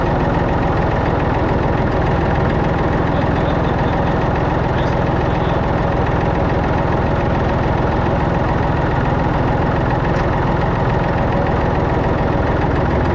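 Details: Massey Ferguson 245 three-cylinder diesel tractor (Perkins tag) idling after 12+ years unused, burnt/melted radiator, charging; steady, even low chug, no knocks or misses, shut off soon so it doesn't get too hot. Normal diesel idle.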